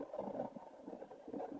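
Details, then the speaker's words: Philips Sonicare DiamondClean brush head with its loose internal ring removed: soft smooth low hum with no buzzing or rattle; the loose vibrating ring caused the buzzing, fixable with a drop of super glue. "There's no vibration, no rattling sound right now."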